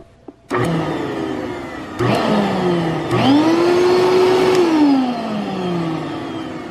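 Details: Shop vac motor spins up to a rising, then steady whine with no chatter or grind after oiling its chattering bearing through a drilled hole above it; running smoothly.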